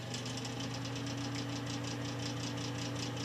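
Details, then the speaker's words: Old Broan bathroom ceiling fan/light that works sometimes and sometimes buzzes without rotating; steady low motor hum with a fast fluttering rattle about seven times a second from binding fan motor bearings, to be cleaned and oiled. "right now it's running but it's a little noisy let's just pop it apart give it a quick clean up and oiling"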